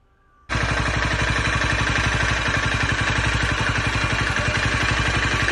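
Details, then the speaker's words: Honda CBR250R single-cylinder motorcycle starts and settles into a steady, even idle with no clatter after fixing its noisy timing chain; normal idle after repair. "അപ്പൊ നമ്മൾ ഇപ്പോ അതിന്റെ ടൈമിം് ചെയൻ fix ആക്കി അപ്പോൊ അതിനുശേഷമുള്ള sound നിങ്ങൾ കേട്ടു നോക്കക്"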